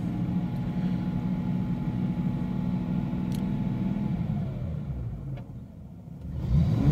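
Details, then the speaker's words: 1994 Jaguar XJS 6.0 V12 facelift, de-catted OEM downpipes, aftermarket over-axle pipes and rear silencers, before fitting Aj6 front exhaust; running hot, possible coolant airlock. Very quiet smooth hum revved gently and settling, no misses or knocks: normal revving. "Anyway, as I can hear, general jagness, very quiet. I'll run her up to maybe 2000."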